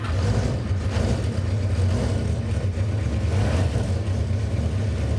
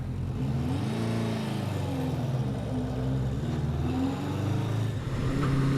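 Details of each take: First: 1977 Honda CB400 Four cold start, fast-idle (choke) setting altered, fast idle cam suspected bumping idle: lumpy, uneven low rumble with no steady beat, possibly not on all cylinders. Uneven running on cold start. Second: 1977 Honda CB400 Four, first ride after rebuild with new exhaust at about 43°F (6°C), started right up: smooth, even four-cylinder drone rising and falling cleanly with throttle, no misses; owner judges carb sync close; running normally.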